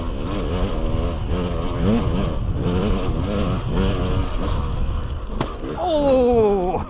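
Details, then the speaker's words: Dirt bike on single-track trail, engine revving over rough ground then one sharp hard clunk as the front end slams through its stroke; forks bottoming out, low on oil from long-leaking fork seals. "fork seals have been leaking for a while not much oil left in the forks and she just blew right through the stroke and he just bottomed out big time that's a proper bottom out people"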